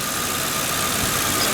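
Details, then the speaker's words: Ex-government auction Ford Crown Victoria V8 with 165,000 km at idle: steady, even idle with light fast injector ticking over a smooth hum, no rod knock, no real vibration; healthy. "it's making the normal clicking that's coming from the injectors there's no knock there's no rod knock which is a death a death thing you don't want that it's running good smooth no real vibrations"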